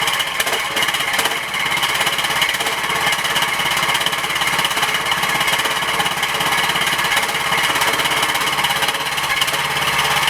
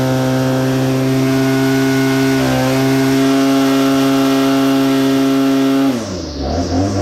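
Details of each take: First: Tractor started after a week unused, with a leaking fuel line clamped by vise grips and battery on a charger: fast, uneven clattering run with harsh rasp and no steady beat, sounds worn; it smokes from oil dripping onto the exhaust, engine overfull. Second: Well-used BL-110 saw after throttle adjustment to cure bogging on throttle climb: strong, steady high-rev tone held through the cut without bogging, easing off cleanly; normal chainsaw cutting.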